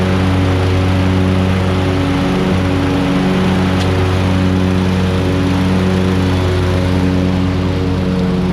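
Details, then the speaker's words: Hustler Super Z mower, Kawasaki engine with 1900 hard hours, test run after 66-inch deck rebuild with new components: steady, even engine drone with smooth constant low hum, no grinding or knocking; normal running. "i mean this thing is just so great i mean that's 1900 hard hours on that kawasaki and just listen to that thing first"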